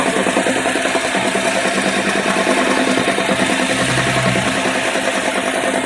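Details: Opel Omega A, dual-mass flywheel, gearbox separated, release bearing not touching: idling petrol engine with a steady rapid knocking from the flywheel area; flywheel suspected, not confirmed.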